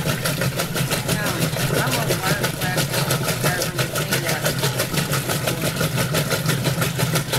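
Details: Roper washing machine agitator running: fast, even ticking about three per second over motor hum, clunking each stroke; cause not yet found.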